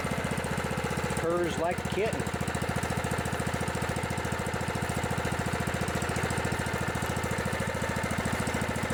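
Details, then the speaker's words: Scotts riding mower with a 15 hp Kohler Command engine, after a cold start: once warmed up and cleared out, it ticks over at a steady, even beat with no stumbles; a healthy idle. "it runs pretty good it just needed to clear out a little bit"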